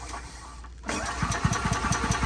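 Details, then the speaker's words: EZGO gas EFI golf cart: after a brief pause it cranks with uneven spits and pops and never catches into a steady run, even with the pedal floored; it turns over but won't start, cause not yet confirmed. "See how it spits and sputters? Now it doesn't even crank up when you floor"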